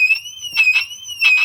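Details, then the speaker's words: 2006 Mercedes-Benz W211 E350 4matic alarm siren, separated from the car and running on its internal backup battery: a high warbling tone in short, uneven, strained, faltering bursts as it mechanically dies. "you can hear it mechanically dying as [Music] well the car doesn't care anymore it's it's separate from the car now"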